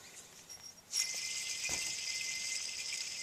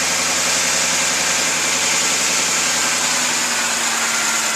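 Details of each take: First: 2006 Ford F-150: idler pulley removed during pulley and belt replacement, spun by hand, gives a dry, gritty hiss with a faint steady high ring as it coasts down; worn idler bearing, cause of the engine whine. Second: 2006 Ford F150 idling after replacing pulleys and belt: steady, even idle with smooth hiss and no whine rising over it; earlier whine gone, normal idle.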